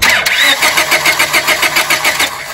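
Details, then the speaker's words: Steady, even cranking at about five pulses a second that never fires on a 1997 Honda Civic 1.6L D16Y7; fuel, injector pulse and 150 psi compression are fine and the igniter controls the coil, but the coil gives no spark and is replaced. "now I'm going to hook back to my negative and I'm just going to crank this again to mirror verify we have no spark"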